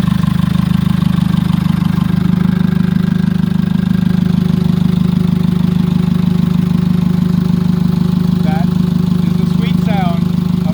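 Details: Jeep Liberty CRD diesel idling right after first start following top-end rebuild: steady even diesel clatter, regular beat, no misses or knocks, slightly smoky, no check engine light; normal idle.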